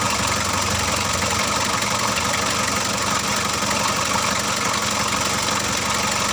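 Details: Freshly overhauled Mitsubishi L300 diesel, reassembled, oil rising evenly at the valves: steady, even idle with dense clatter, no knocks or misses standing out; normal, healthy idle.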